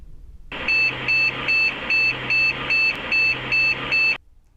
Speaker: nine short bits ami bios room check some error or cmos battery error this error points to a problem with the biased chip on the motherboard itself